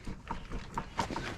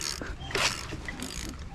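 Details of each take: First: KA24DE engine swapped into a Nissan 300ZX (Z32), rotated by hand with all four spark plugs removed after a knock on its first crank. A few free turns, then a sharp knock about once per second as it binds. Owner thinks the hit comes from the transmission, perhaps the clutch striking the bell housing. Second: KA24DE engine swapped into a Nissan 300ZX (Z32), rotated by hand after the clutch pressure plate was found grinding on the starter. Light irregular ratcheting clicks with no catch or grinding; the engine now turns freely.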